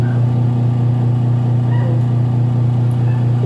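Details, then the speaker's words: Washing machine, timer on: wash motor underneath runs with a strong steady low hum and slight flutter about twice a second while the pulsator stays stopped; its drive is seized, so the motor pulley slips on the belt. "Andar yung motor. Pero nakahinto to. Nakahinto yung pole. Diba? Umi-slide yung motor. Yung puli ng motor, umi-slide na sa belt."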